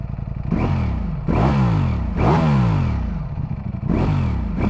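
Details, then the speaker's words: Ducati Streetfighter V4S on the dead-stock exhaust, revved through several throttle blips with a deep, even note rising and falling and no knocks or rattles; a healthy engine with plenty of sound. "actually moves a bit. got some beef to it. That's more than enough noise for me."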